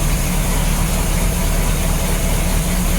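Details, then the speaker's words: 1987 Bayliner Cobra 2250 with OMC 5.7 V8, idling after the gimbal bearing was replaced and the outdrive reinstalled. Smooth, even low rumble, much quieter than before; the noise was likely from the old gimbal bearing. "this engine is quieter than it was before. So if you guys have seen my previous video, you know, when I first started her up, the engine didn't sound like this. This is like quiet."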